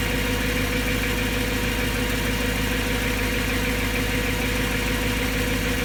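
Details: BMW M3 S65 V8 at idle after bearings were just replaced: steady idle with a light, fairly regular tick about twice per second over the hum; noise persists after repair and owner worries it isn't normal, source unclear.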